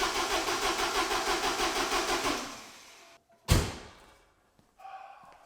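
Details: 1986 Porsche 944 with troublesome fuel injectors, after draining the fuel filter and adding fresh fuel to possibly old gas: steady cranking at about three compression pulses a second for over two seconds, no firing. Cranks, no start; cam and crank timing then verified at TDC.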